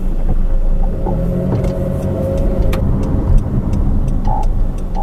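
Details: New 2013 Honda CR-V AWD, about 4,000 miles and 4 months old, pulling away at walking pace: low road rumble with faint scattered rear creaks; cause unknown.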